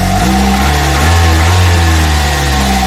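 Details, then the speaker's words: Kia Soul four-cylinder idling, heard under the hood after valve cover gasket replacement: smooth steady hum, even low drone, no ticks, knocks or misses; runs great, no leaks around the valve cover. "The engine runs great. We don't have any leaks around the valve cover, so this is good."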